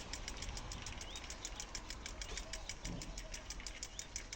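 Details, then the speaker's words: Bicycle rear freewheel coasting on its own: quick, light, evenly spaced pawl clicking as the wheel spins freely; normal, healthy freewheel. "mais moi c'est les vélos tout ça comme ça et ça tourne tout seul"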